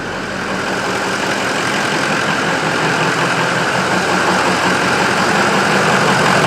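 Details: Ford F-350 6.0 Power Stroke diesel with previous engine fire damage, first run after wiring repairs: loud, uneven diesel clatter that never smooths out, blowing lots of smoke; rough idle, cause unknown.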